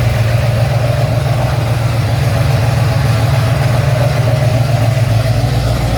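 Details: Ford XC GXL with restored 351 V8, first start after rebuild, carburetted: deep even V8 burble at steady idle, no knocks or misses; normal idle.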